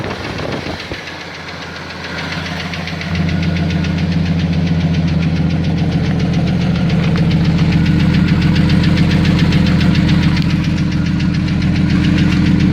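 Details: 1992 Jeep Cherokee XJ 4.0 six-cylinder idling: clear regular knock about three and a half per second over smooth idle; owner wonders flexplate bolt or piston slap; cause undetermined.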